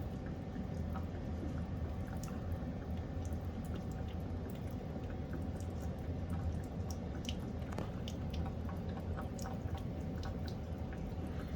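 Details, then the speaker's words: Gas water heater with pilot still lit, drain valve cracked open to a floor drain while replacing the temperature and pressure relief valve: soft irregular drips and gurgles over a low hum as water trickles from the tank. Normal draining. "i don't know if you can hear it but you kind of hear that gurgling sound"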